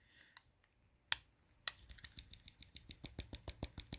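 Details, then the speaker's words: Paragon Warlock knife: quick light metallic ticks about three a second as the loose blade, possibly S35 steel, jingles and shifts against the aluminium handle's inside walls, which the owner says will dull the edge. "So you can hear the blade kind of jingle in there. So as it's doing that, it's kind of shifting a little bit."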